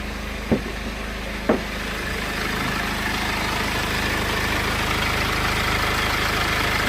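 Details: 2008 BMW E60 520d diesel with limp mode and a constantly running radiator fan, warm at about 87°C after hard driving: even idle clatter with no fan rush; the fan stays off and the engine sounds healthy.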